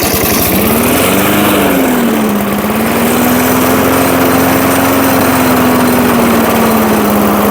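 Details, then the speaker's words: 1980s Firestone 22-inch mower revived after about 20 years of storage, single-cylinder just started on fresh oil and gas: steady buzzing drone with only a gentle drift in speed. Normal running. "Wow. I can't believe it was that easy."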